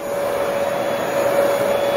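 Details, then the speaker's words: Small Bissell household vacuum, motor reassembled after running uncovered (warm after use), switched on again: steady high whine with even airflow rush, no wavering or rattles; runs normally. "now I'll turn it on once again it works"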